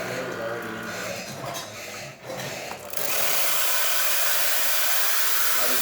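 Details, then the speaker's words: Espresso machine after full service for no power and overheating: steady pump hum as water flows in a steady stream from the group, then a strong, even steam hiss, working normally. "FL from group as you can see it's steady stream coming out from"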